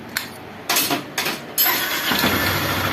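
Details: Honda Bros 150 motorcycle after repair of the starter, whose broken weld was re-soldered (initially suspected weak battery or starter brushes): a few short cranking bursts, then the engine catches and settles into a steady run, a normal start.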